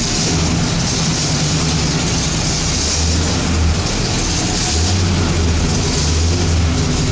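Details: Freshly rebuilt 1969 Pontiac Ram Air IV GTO Judge engine, balanced bottom end, factory specs, first start-up on a 1968 GTO rolling chassis with 2.5-inch X-pipe exhaust, turbo blue/premium fuel mix: deep, steady lopey V8 idle, no knocks or ticks; healthy.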